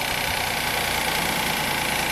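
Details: 2016 Hyundai Santa Fe (P0018 timing code) suddenly running very poorly with heavy blue smoke, spark plug soaked in fuel; rough, shaky, uneven idle after starting with a little gas, with one cylinder low on compression and barely pulling.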